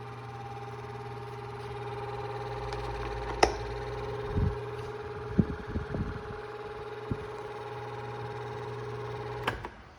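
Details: 2002 Cool Breeze 12-inch oscillating desk fan after 20 years of heavy use: steady whine over motor hum with a few handling knocks; motor bearings completely shot, causing loud squealing.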